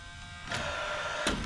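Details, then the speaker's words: Paslode cordless lithium-ion 16-gauge finish nailer that won't fire: small fan spins up, then two sharp spark ticks on trigger pulls but no bang; fuel cell no good or not working properly, no gas delivered. "we can hear that spark so what that means at this point is either the fuel cell is no good or it's not working properly"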